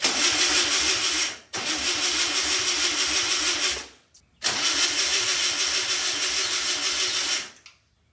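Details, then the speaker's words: 1964 VW Beetle engine sitting over 25 years: two long cranking bursts with choke, never starts; owner suspects carburetor needs rebuild, rough distributor cable and possibly a coil that was getting hot. "All right, guys, I'm pretty sure this carburetor is going to need a rebuild."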